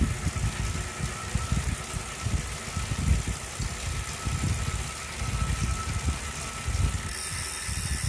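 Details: Wahoo smart trainer still noisy after cleaning, after 30 minutes warmup: constant low rumble with uneven rattly pulses and a faint steady whine; drive noise, cause not pinned down.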